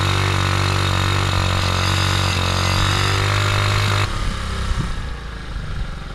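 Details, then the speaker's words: 1975 Honda ST90 small single, cold-blooded, started on choke after a long struggle: revs steadily with a quick, fairly even beat, then settles lower as throttle drops; engine finally running normally. "finally finally it is running"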